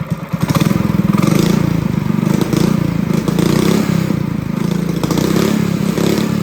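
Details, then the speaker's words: Honda GX200 clone kart engine, carb jet drilled up to a 77 bit, not yet under load: crisp, steady single-cylinder putter at an even fast beat, no stumbling or surging; normal running. "So guys, I jetted it up to a 77 on my bit guide there, and she sounds really good. So I think I'm going to leave it at that."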